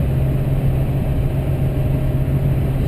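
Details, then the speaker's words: 2005 GMC Sierra 2500HD Duramax diesel cruising with new 4-inch aftermarket exhaust (Corsa front pipe, Jamo catback, FTE resonator): steady low in-cab rumble with no booming drone; resonator quieted it a lot. "I think it's all right with that ft resonator I think it's quieted it down a lot"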